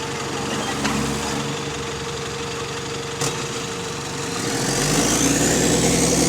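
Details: GAL EN29 diesel bus on route 486 pulling away: regular chuffing beat with rising whistle; exhaust leak suspected, unconfirmed.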